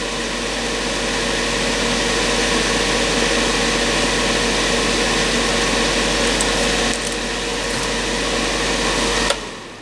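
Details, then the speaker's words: Black&Decker BDCH200 1500 W heater on fan-only setting, fan drawing 20 watts: steady, even whir with constant hum and no rattles, then switches off; fan runs normally though airflow is modest. "Well, the fan's not locked, it is running. And it's pushing some air through there, but not very much. Not very And the fan draws 20 watts."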